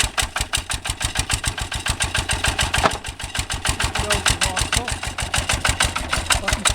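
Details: 1966 Lister Autotruck with a rebuilt air-cooled single-cylinder Lister LD1 diesel, just cold-started on a freezing day with a drop of oil in the cold-start plunger: crisp, even chuffing at about seven beats a second, settling into a clean, healthy idle.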